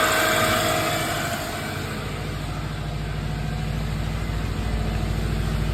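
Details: 2002 Subaru Forester XT SG5, EJ20 turbo, automatic, first cold start after the failed factory turbo was upgraded and a partial exhaust fitted: steady even exhaust pulse, no knocks, rattles or turbo whine; healthy.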